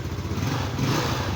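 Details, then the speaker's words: Yamaha Mio Sporty scooter, kick-started because the electric start is dead. It had sat a few days and is hard to start when cold; the carburetor was cleaned and the spark plug is fine. A steady low putter idling evenly with no misses or stumbles. "p start niya hindi na talaga gumagana kaya pinadyak padyak na rin lang natin siya ayan makikita niyo umandar na siya guys"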